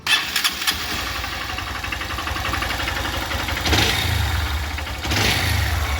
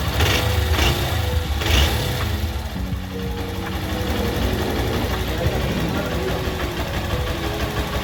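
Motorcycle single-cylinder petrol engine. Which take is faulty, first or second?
first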